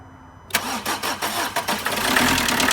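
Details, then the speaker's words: Combo van that wouldn't run, now repaired: primed with the electric fuel pump in the boot, cranked after the glow-plug light went out with no throttle. It catches cleanly and settles into an even diesel idle. No injector chuffing, so the injector seals are sealing. "Guys, that has never ever started up like that. We've got no chuffing, so the injector seals have made a good seal."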